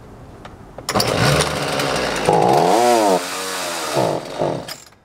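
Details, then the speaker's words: Vintage Homelite 3816C chainsaw unrun for years, fresh gas, started on choke: fires and revs roughly, surging about three seconds, then dies; won't stay running; carburetor cleaning likely needed, possibly new fuel lines. "that's kind of what it does it leads me to believe you're probably going to have to clean the carburetor possibly put new fuel lines in it"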